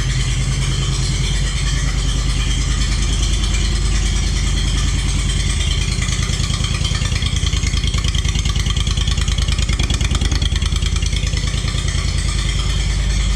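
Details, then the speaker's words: Walker lawnmower previously without power, fuel pump now running: engine catches and settles to a steady even beat about three pulses a second, no misfires; fired right up. "Woo, fired right up."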